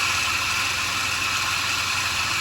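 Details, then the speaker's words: Idling engine, noise from the front belt accessory area. Steady high whine held at one pitch; pulley or belt tensioner suspected, source not yet pinpointed. "start this up i don't know if you guys can hear it but it's coming from this area right here um this loud uh whining noise so you can kind of pinpoint what area it's coming from"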